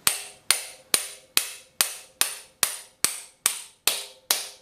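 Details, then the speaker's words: Painted dipstick tube driven into the oil pan with an installer tool and a 16 oz ball-peen hammer: eleven sharp, ringing blows about twice a second, each solid with no give. The tube is bottomed against its stop and permanently installed. "And as you can hear, it's solid. Now it's in place."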